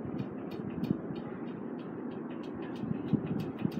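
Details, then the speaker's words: Quorum Chateaux ceiling fan, installed 2005, on high speed: light regular ticking about four a second over soft blade whoosh, slight wobble, good airflow; ticking cause unknown. "Just have a little wobble, but blows a good amount of air. Has a little more ticking noise."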